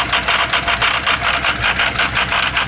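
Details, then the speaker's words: Ford 6.0 diesel with a failed lifter and a faulty ICP sensor: rapid rhythmic chuffing hiss, about six puffs a second, with a thin low end and an audible skip; misfire with heavy blowby out of the dipstick tube, engine needs a rebuild. "so even with the icp being messed up you can hear the miss and see if we can see the blowback coming out of pickup tube or the uh dipstick"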